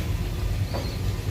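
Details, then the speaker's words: Replacement circulating pump on an old hot-water heating boiler system, wired to run when the boiler calls, after swapping the pump: even, low steady hum with no rattle, grind or surging; new circulator running smoothly. "So this pump is wired directly to the boiler, so it turns on when the boiler calls for it. And as you can see, it's running nice and smoothly,"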